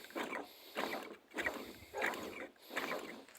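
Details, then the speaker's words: 1991 Pontiac Firebird 3.1 V6 old smog (air injection) pump removed, turned by hand: uneven scraping rattles about every half second, wobbly and loose versus the new pump's tight smooth feel; worn air injection pump bearing. "you can kind of hear it wobbly. The other one's nice and tight. This one's really loose."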